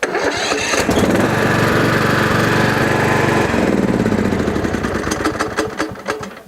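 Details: Yardpro ride-on mower single-cylinder engine that wouldn't crank on a new, fully charged battery: after the engine is turned about two-thirds by hand at the centre bolt, a short crank, then it catches and runs with an even putter before easing down; starts fine.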